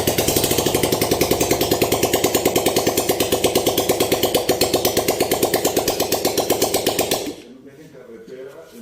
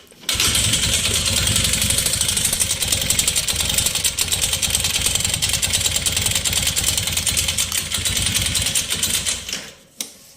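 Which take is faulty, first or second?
second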